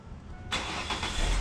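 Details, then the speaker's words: Starting/charging test with scope, battery about 23 °C, rated 590 CCA, testing 675; brisk crank, fires within half a second, steady run; max start current 760 A, lowest crank voltage 9.12 V, alternator 25–30 A, charging 13.4 V, slightly low. "there we go alternator's charging 25 amps or so 30 amps then you see the voltage start rising once the current goes low"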